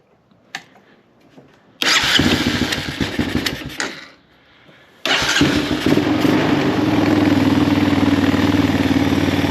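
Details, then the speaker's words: 1999 Honda Recon 250 after top-end rebuild, carburetor and exhaust refitted: cranks, catches, settles into a steady even single-cylinder idle with no knocks; some oil burning off; runs well. "it started running good that's just oil burning up"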